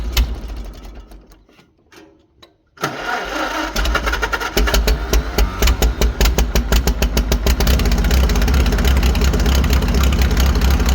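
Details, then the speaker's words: 1940 Farmall H four-cylinder on straight pipe, after new spark plugs, oil seen wetting cylinder two: short crank then an even, steady beat with all four cylinders firing and no skips; normal idle. "so as you can hear the tractor is running way better we have all four cylinders now I like straight pipes as much as the next guy but much better"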